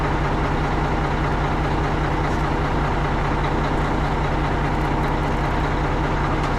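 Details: Tri-axle dump truck diesel after a roughly $5 no-start repair (dead battery diagnosed with a load tester, dielectric grease used), deep even idle with a steady knocking beat, no misses or stumbles; running smoothly.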